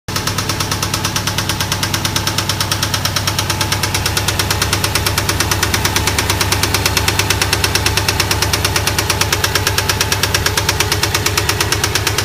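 A hard, regular knock beats steadily through the idle, sharp and metallic over the engine: a spun rod bearing knocking.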